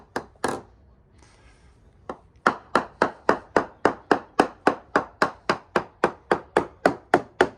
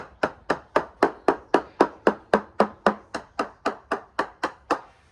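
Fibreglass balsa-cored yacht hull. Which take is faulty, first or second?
first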